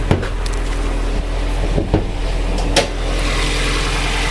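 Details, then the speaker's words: Cheap 360,000 km race car with leaking frost plug reportedly behind the power steering pump: after handling clunks, engine settles into steady even idle, no knocking or misfire; runs fine. "But as you can hear, she runs mint as. I didn't even start that properly."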